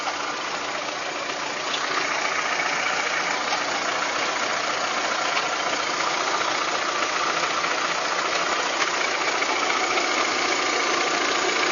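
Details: VW Golf 3 engine at idle: rapid, fairly regular tapping about two to three per second over the engine hum; abnormal engine knock, cause unknown.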